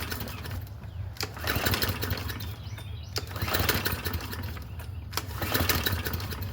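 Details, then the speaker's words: Free Craftsman M100 push mower with 140cc Briggs engine, just washed, still has fuel: repeated pull-cord yanks about every two seconds with brief sputters that never catch; owner suspects water from washing. "might have ran it out of G. Did I run it out of gas? That would be funny. No, it's still got gas in it. Might have been from when it was washed,"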